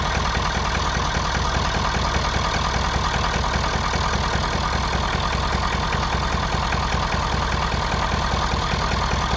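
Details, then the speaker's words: 2011 Ford Super Duty 6.7L Powerstroke diesel at idle, exhaust sound: lumpy idle with a steady stumble two or three times a second; cylinder 6 has low compression, suspected dropped or burnt valve, little blow-by. "nder number 6 has lower compression than all the rest of these. But with that sound coming out of the exhaust, I would assume we have a drop valve or something, burnt valve or anything like that."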